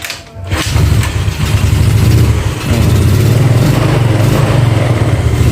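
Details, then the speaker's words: Carbureted Yamaha Nouvo with a morning hard-start complaint, test-running with a Xeon carb vacuum diaphragm: it starts with weak-seeming compression and is reluctant to take throttle at first, dipping briefly, then recovers and idles normally. This is throttle hesitation. "di Awalnya dia agak apa ya kayak nggak mau di gas gitu Tapi kalau udah hidupnya Masih normal lah kalau segini ya"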